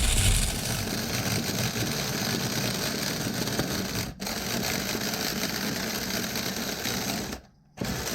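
High-pitched buzzing little engine fires for a few seconds, then drops out twice; the nitro engine won't hold a steady run.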